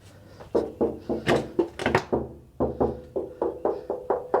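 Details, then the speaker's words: Abandoned GMC truck, fender tap test; dozen sharp taps each with clear metallic ring, not the dull thud Bondo gives, so the panel is solid steel. "So that all sounds like steel."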